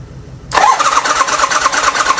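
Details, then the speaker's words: 1973 Harley-Davidson Sportster build cranking on a new 20 amp AGM battery, spark plugs off and no fuel: starter engages sharply and spins the engine at a fast, even rhythm with no clunks; normal cranking. "The next thing, you know, we got the tank and my fuel filter and some lines and everything, but man, she's cranking, which means we're just about ready."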